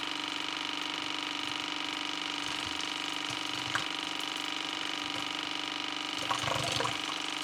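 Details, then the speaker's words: 2015 AEG Favorit dishwasher after i30 leak error, cleaned with a water flosser: steady motor hum with running water and no beeping as the drain pump empties the tub fully; normal drain pump operation. "Ik zal eens even kijken of we hem kunnen afpompen zo. Ja, hij is leeg."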